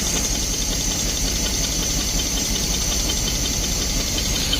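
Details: 1972 Barth motorhome, first run in 15 years, fuel filter leaking: after cranking it idles on its own with a smooth, steady low rumble and no misses or knocks; normal idle.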